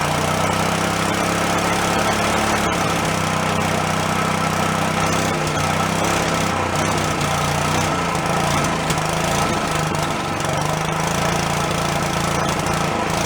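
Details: Long-stored Yerfdog go-kart single-cylinder, now running on its own without thumb-choking: steady, even firing, no misses; owner thinks a blocked passage or vent suddenly cleared.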